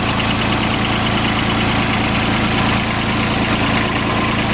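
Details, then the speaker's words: 2007 Kubota RTV900 diesel UTV suspected of overheating, coolant heard boiling, temp light not working; steady idle with an even rushing whoosh from the radiator fan, which turns on and works normally. "So, fan is working. All right. So, the radiator fan right down here is turning on."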